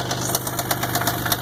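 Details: 1999 Isuzu engine at idle: quick, sharp metallic knocks about eight a second over the idle, a bottom-end knock; main or rod bearings believed shot.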